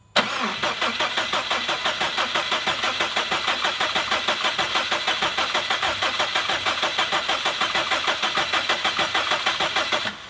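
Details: Rebuilt 2017 Subaru STI with a base map, cranked to build oil pressure: even starter cranking at about three beats a second for ten seconds never catches.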